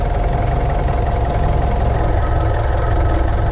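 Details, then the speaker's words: 2015 Mitsubishi Pajero Sport Dakar 2.5 VGT turbo diesel, automatic, 83,000 km, engine bay: a steady, even warm idle with a firm low rumble and no misses; no blow-by smoke at the dipstick, engine sounds healthy. "Suaranya bro ya, suaranya khas."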